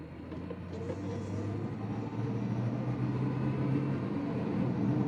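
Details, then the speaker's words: 2009 Pontiac G6 GT convertible, V6 about 227 hp, cold start acceleration: engine note climbs with raspy puffing edge over low rumble, first thought intake leak or variable valve timing; found exhaust leak at joint after the Y-pipe. "And I thought it was an intake leak, and I did a little bit of research on this. And what it is there's actually an exhaust leak at an exhaust joint after the Y pipe"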